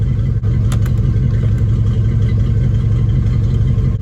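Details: Classic Ford 302 V8 idling after new alternator install, battery tester connected: steady even rumble, smooth beat, no knocks or whine; healthy idle, charging just above 14 volts.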